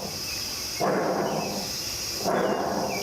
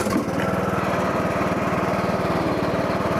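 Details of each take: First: John Deere mower deck spindle removed from the deck and spun by hand gives two rough, gritty grinding bursts from worn spindle bearings; bearings need replacing. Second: John Deere LA115 riding mower after replacing worn mower deck spindle bearings that had caused vibration; steady single-cylinder chug about four beats a second with no grinding or squeal from the deck; running normally.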